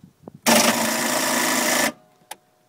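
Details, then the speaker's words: 1985 Sea Ray boat, Mercruiser 3.7L 170 hp, battery believed full, restarted several times then sat; starter clicks and spins fast about 1.5 seconds without firing, cranks but won't start; owner suspects timing chain jumping or tensioner. "I got to turn the key now hear the clicking I believe the battery is full"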